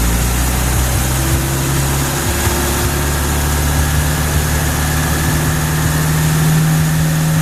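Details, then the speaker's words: 1967 International Scout 800: steady, even idle that picks up cleanly when the throttle is blipped, no knocks or misses; starts right up every time, engine healthy. "It starts right up every time. So here she is running."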